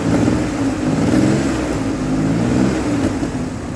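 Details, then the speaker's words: 2003 Ford Explorer V6 that failed inspection for misfire, after replacing an ignition coil: even engine note rising and falling cleanly with revs, running smoother than before and smoothing out further under throttle. "Running smoother than it was. And once I put some pressure on it, it smooths right out."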